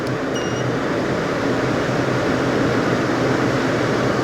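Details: Sherwood CFM1000 1000 cfm workshop room air filter cleaner running at speed 2 of 3, mic beside machine: steady, even rushing air with no rattle, tick or pulsing; normal, smooth fan.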